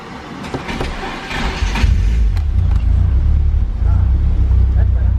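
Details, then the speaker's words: Car on a speed density remap, restarted after reconnecting an unplugged wire at the breakout box and moving the sensor from bank 0 to bank 1. The engine catches and settles into an even, steady idle with a firm low rumble and no stumbling; it runs much better. "Much better. So we had it pinned to a bank 0 and the computer wasn't liking it, so we just moved the sensor bank to a next bank."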